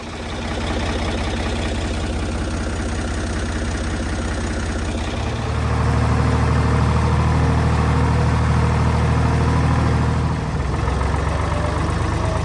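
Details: Old Ford diesel tractor after radiator reinstall, warming up in cold weather: steady even diesel clatter at idle, lifting smoothly when throttled around five seconds then settling back; healthy running.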